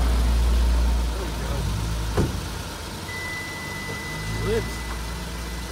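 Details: 2012 Hyundai Azera after battery replacement with an ill-fitting, incorrect battery: deep rumble as it catches, then smooth even idle with no misses or knocks; normal start and idle.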